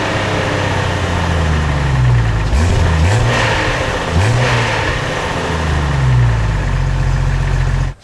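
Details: 1999 Jeep Cherokee XJ after new stainless-steel cat-back exhaust installed: steady deep drone with clean rev blips, even firing, no rattles or blowing; healthy exhaust, a bit quieter than the previous welded muffler.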